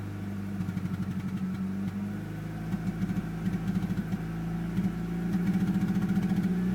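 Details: VW AZH engine idling with an uneven chug and a repeating stumble in the exhaust pulse, still lumpy as revs rise slightly; misfire, cause unknown.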